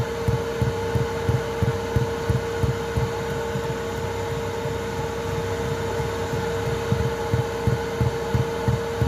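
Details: Chinese 2 kW 12 V diesel heater in a VW Transporter T4 at full power: fuel dosing pump ticks and thuds about three a second over a steady hum, knocking against the boxing-in; before the quiet-mount fix.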